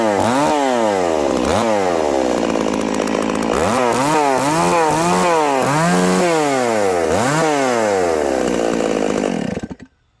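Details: Stihl 024 AV chainsaw after carb work with Welch plug fitted; blips cleanly up and down revs several times, picks up crisply without bogging, then cuts off sharply via working kill switch; running fine.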